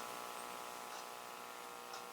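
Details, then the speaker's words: 1961 General Electric T-100A AA5 AM tube radio on a variac at about 40–60 V, volume turned fully down: a loud, steady, low buzzing mains hum from failed ripple filter capacitors, before the electrolytics were replaced. "Starting to hear hum. Bad filter caps for sure."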